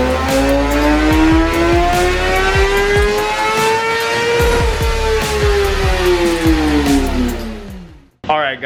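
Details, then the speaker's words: 2017 Kawasaki ZX10R on the dyno, final full-throttle run after clutch readjustment, tune and quick-shifter setup. Loud, clean note climbs steadily with short crisp quick-shifter cuts, then winds down. Bike pulls strongly and runs healthy. "so I'm going to go ahead and shoot the last final run so you guys can also get an idea how the quick shifter sounds now that we got that dialed in so here we go"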